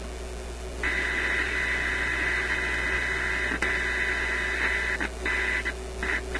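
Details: Koronette console stereo, AM band after reconnecting the loop antenna: harsh hiss and buzz in choppy bursts at one spot on the dial. A tuning-capacitor plate is suspected of touching; unconfirmed.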